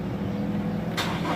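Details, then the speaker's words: Toyota Innova 2020, nearly new and untouched, cranks steadily but never starts, even when petrol is sprayed into the intake. "oh kina-cut natin pero tama nga hindi siya mag-start"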